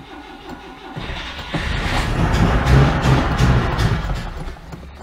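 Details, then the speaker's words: 1992 Oltcit petrol engine, choke set, jump pack: slow even cranking then a few ragged catches that die away; needs petrol dribbled into the carburettor to fire, cause not yet confirmed. "yes might take a big bit of a dribbling petrol down the carburetor to um actually get this thing to fire up"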